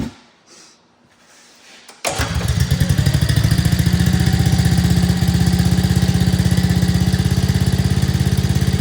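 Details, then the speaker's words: 2024 Arctic Cat ZR 200 snowmobile, single-cylinder, up on a stand, after adjusting the throttle cable slack off the throttle safety switch: starts and settles into a steady, even idle without dying; the previous intermittent stalling at idle is fixed. "try and that solved the problem so just keep an eye on that if it happens again you just got to come back in here and adjust that throttle cable"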